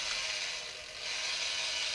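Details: Kenner 1978 radio-controlled R2-D2 toy after restoration, with motors oiled and a corroded, broken circuit-board connection resoldered: steady high-pitched whir of small motors and gears, no catching or stalling; drive working normally.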